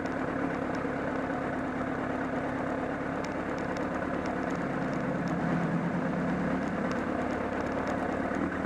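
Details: Honda CBR1000RR at Sportsland Yamanashi circuit idling: uneven, loose flapping patter about three beats a second from near the engine, grown louder with loss of torque; source not yet identified.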